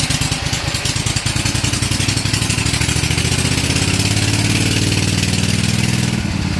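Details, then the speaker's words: Lawn tractor dragster with a 16 HP Vanguard engine running again: loud, rough single-cylinder thump and clanky driveline chatter as it pulls away and revs; the transmission sounds rough, cause unclear. "cool we're up and running transmission sounds like snot but John built the engine"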